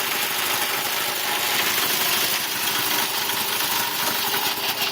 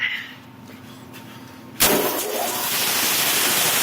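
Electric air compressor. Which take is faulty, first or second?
first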